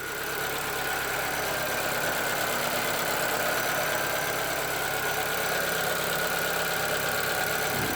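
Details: 2013 Chevrolet Celta 1.0, about 70,000 km: after an oil and filter change to the original synthetic oil, the top-end tapping from the hydraulic valve lifters (caused by poor-quality oil) is gone; steady, even idle, smooth and healthy.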